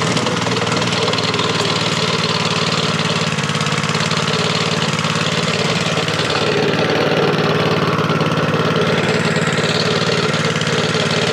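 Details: Honda GX160 plate compactor that sat outside for five years, running after refuelling: steady, even single-cylinder chugging at about 220 beats a minute, starting and running cleanly.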